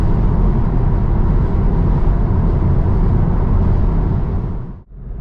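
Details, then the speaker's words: New 2024 Tesla Model 3 Highland, standard range, in-cabin at motorway speed with new sound dampening, much less road noise than a 2019 Model 3 Performance on low-profile tyres: soft, steady low tyre rumble with no whine or drone; normal cabin road noise. "I've got to say there's really not much road noise here a mixture of the new um sound dampening"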